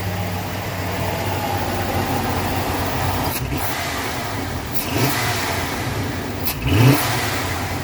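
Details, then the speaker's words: 1988 Ford F-150 fuel-injected V8, after the distributor was adjusted to set ignition timing: an even idle hum with short throttle blips that rise and fall cleanly, no misses or backfires; normal running. "That's not bad for one of these dookie fuel injected things."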